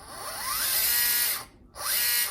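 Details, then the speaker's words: Axial SCX10 III RC crawler that wouldn't climb out of a creek, held in hand: the motor winds up in quick rising whines and revs freely with no load. The owner suspects a slack slipper clutch or spur gear nut in the gearbox. "Not going anywhere, so you got no power."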